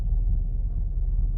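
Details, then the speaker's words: Mazda 3 at idle, hood up and stationary, after a battery replacement, on letting off the gas: deep lumpy idle sagging as if about to stall with very low rpm during the 10–15 minute idle relearn. "It almost sounds like it wants to die. Look how low the RPMs are."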